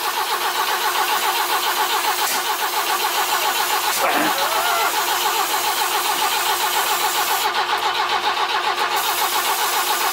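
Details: BMW E21 cranking after plug leads on the distributor were swapped to the opposite order because of intake backfiring: steady fast cranking, 3–4 beats a second, with one sharp pop; never catches, ignition timing suspect.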